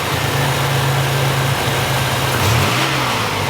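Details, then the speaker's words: 1987 Buick Grand National after new fuel injectors, fuel pressure regulator and ECM chip: idles steady, then a quick clean rev and settle with no stumble or hesitation; runs smooth, though the regulator is leaking fuel. "Running good, real smooth now. Real nice, real nice."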